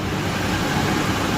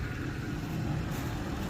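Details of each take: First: Ford E-350 van idling fast at a raised, even idle that never drops back; it's revving kind of high, cause not pinned down. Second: Ford E-350 van with wheelchair lift that had broken down: steady, even low rumble with no surging after the high idle dropped back down; idle now quiet and normal.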